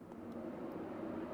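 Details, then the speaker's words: Flood-title Porsche 911 (996) with overheating, relay jumped in footwell: high-speed radiator fan runs with a steady, even rush of air, pulling a ton of air, no rattles; normal, though low-speed setting gives nothing. "that fan is definitely running you can hear it and I can feel it pulling a ton of air through there"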